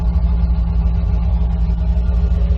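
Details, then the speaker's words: 1991 C4 Corvette V8 after new TPS and idle control valve, heard from the back: deep, steady exhaust burble at idle, even pulses, no misses, knocks or hunting; idles same as before, sounds healthy. "She sounds like she's idling exactly the same as she used to. And from back here, she still sounds legit. I love this way this thing sounds. It's amazing."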